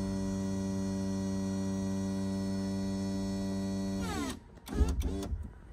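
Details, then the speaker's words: Volvo Penta SX-A power trim/tilt pump reinstalled, trimming down and up. Even electric motor hum at steady pitch for four seconds, then winds down and stops with a couple of clunks; working normally. "so if I go down all the way down it's moving down and it's moving up so basically it's working"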